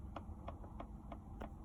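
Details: Volkswagen Golf Mk5: faint light tick about three times a second, very steady, over a quiet low hum, coming from behind the dash; cause unknown.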